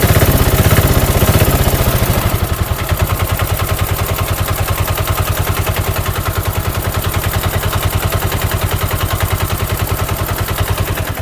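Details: Rebuilt Bajaj BS4 single-cylinder diesel auto-rickshaw engine, full bore, just fitted, push-started; drops from a rev to steady even chug, no knock or rattle. Tuned for smooth, quiet running.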